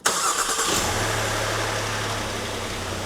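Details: 2008 Suzuki XL7, 190,000+ miles, after replacing the dead starter with a new one: a short crank, then the engine catches cleanly within a second and settles into a steady, even idle. Starter and starting are healthy.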